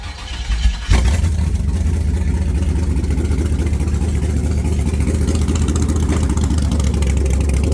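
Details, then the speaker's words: LS-swapped 1978 Chevrolet Caprice: after the idle screw was set way too high (around 3000 rpm) and then turned down, the engine catches within a second and settles into a steady, even low rumble with no hunting or surging. "I screwed it down and I think I got the idle just about right if not we got some room in there"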